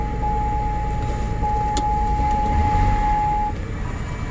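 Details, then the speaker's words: 2005 GMC Envoy with rodent-chewed engine wiring, codes recently cleared: a lumpy idle with an irregular low stumble under a steady whistle, shaking the door. Misfire, apparently on cylinder 3, not yet verified (five-cylinder engine suspected), from the rodent damage. "it is running rough it definitely feels like a misfire"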